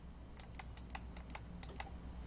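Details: Roccat EMP mouse buttons clicked quickly and held then released, compared against Roccat XTD and Logitech G403: sharp, loud, crisp clacks about five per second, especially loud on the return stroke; noisy switches.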